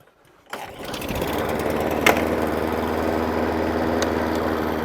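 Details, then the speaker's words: Hayter Ranger 53 mower at full throttle: steady, flat drone that never climbs, checked with a tachometer. Engine not reaching full revs. "so as you can see the machine runs cools down not enough what's that actually running at I've got my taco meter here 2-2 220 250."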